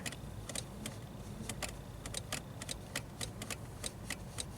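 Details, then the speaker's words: Subaru Outback rear wiper stuck after an ice storm: sharp, irregular dry relay clicks over a quiet hum when the switch is worked, no motor whir; fuse not blown, wiper motor not running, cause not yet found. "You can hear a relay click when you mess with the switch, but the fuse looks good."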